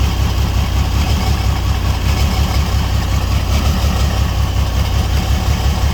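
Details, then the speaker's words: $300 auction car. Rough, uneven idle with deep exhaust note and irregular stumble; owner says it sounds like exhaust but the motor has a miss and is visibly shaking. Misfire at idle, cause unconfirmed. "You can see the motor like shaking."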